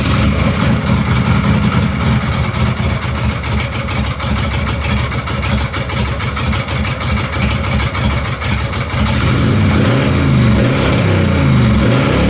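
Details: 1953 Harley-Davidson generator shovelhead bobber V-twin, totally cold: kicks into a quick, loping idle, then settles to a slower, even beat; sounds healthy.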